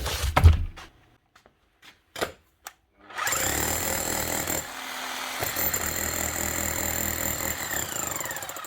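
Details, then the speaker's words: 24-year-old Bosch GBH 7 DE hammer drill, likely unused 10–15 years, switch fixed with plastic glued on: after handling knocks, steady even hammering rattle with no misses or stalls, running perfectly. "that's it that's all wrong with it running perfectly otherwise one 24y old Bosch gbh 7 de that could easily have been lying up for the last 10 or 15 years up and running again"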